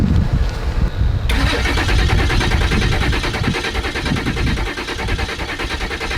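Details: 2002 Ford F350 7.3 Powerstroke diesel, 4x4 long bed, about 410,000 miles, after charging the batteries about an hour: starter spins the engine with even, steady pulses about three per second, none weak or skipped, until it fires; compression sounds even.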